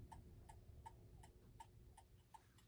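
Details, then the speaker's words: 1960s gothic mantel clock with an Urgos movement, after adjusting the flat crutch and levelling: crisp, evenly spaced ticks about every 0.37 seconds with a quiet background; clock running in beat. "I've adjusted the crutch, and I now have the clock level and running in beats."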